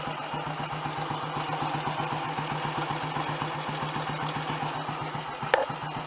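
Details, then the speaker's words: Royal Enfield Model G 350 single on a bike lift: steady, relaxed thumping idle with light top-end chatter. It sounds ready to ride; normal idle. "That really sounds like it's ready now."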